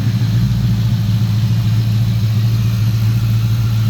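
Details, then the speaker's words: 1988 Fox-body Mustang with a Coyote V8 swap, gen 3 bottom end, gen 1 top end, stage two supercharger cam, headers, dual 3in exhaust: deep, even idle with slight cam lope, no knocks, running again after the blown engine was replaced. "got stage two supercharger cam for future upgrades but you can hear it a little bit in the idle coyes don't really chop too much"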